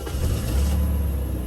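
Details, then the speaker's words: Jaguar XJ6 Vandenplas with an inline six, started after years in storage and electrical contact cleaning. It settles into a deep, even, smooth idle with no knocks or misses. "Oh yeah. Purrs like a kitten. A Jaguar kitten."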